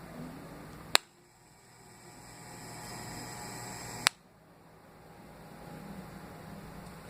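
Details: Fan: faint steady hum broken by two sharp clicks about three seconds apart; something catching or ticking in the fan.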